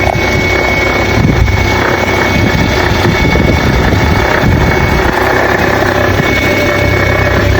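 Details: Nissan Note NISMO e-POWER (HR12 engine), bought used, about six months after delivery, engine abnormal noise with sensor malfunctions suspected by owner; idle with rough, busy rumble and faint thin high tone on top, cause unclear.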